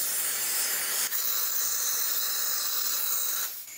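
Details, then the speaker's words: Second catch can one-way check valve (3/8 in hose) fitted backwards under constant airflow; steady high-pitched hiss for about three seconds as air still gets through; the valve leaks in reverse. "now first I put it in backwards just to see how well it'll work and if you can hear the one-way valve isn't even working properly on it because air is still getting through"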